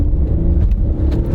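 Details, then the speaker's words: New Hyundai/Kia vehicle accelerating in sport mode: strong, steady rising hum with smooth shifts from a conventional automatic (not a CVT), and no slips, flare or clunks. Normal acceleration. "Whoa, this thing got some decent get up and go. Smooth shifting transmission, and it's not a CVT."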